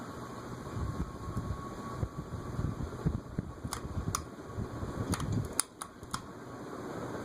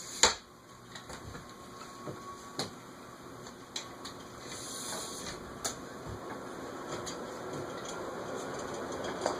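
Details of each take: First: Carib 36-inch three-speed ceiling fan, cast iron spinner motor, around 0.7–1.0 A: steady soft whir with faint high tone and light ticks, no rumble or grind; bearing noise heard earlier gone, fan running healthy. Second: Carib 36" 3-speed ceiling fan, cast iron spinner motor, bearings seemingly stiff, on a capacitor speed control at the 14 microfarad setting: hum swells louder with a droning ring and scattered ticks as it hits a resonant frequency.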